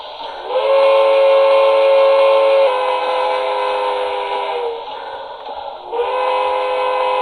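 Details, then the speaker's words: Broadway Limited steam locomotive, brand new, after the tender shell was glued and refitted: steady layered whistle tone with chuffing underneath and no buzz or shell rattle from the speaker; the fix worked. "so no more of that show rattle there so it definitely did the trick"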